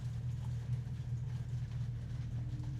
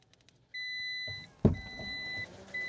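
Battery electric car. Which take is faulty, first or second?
second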